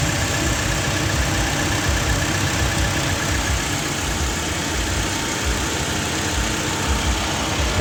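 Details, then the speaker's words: Toyota Vigo diesel idling with AC on after AC repair for refrigerant loss (suspected compressor-front leak), condenser cleaned, dirty moist evaporator removed; even low drone, no knocks, squeals or hunting. Normal idle with air conditioning on. "สตาร์ทเครื่องเปิดแอร์แล้วครับ"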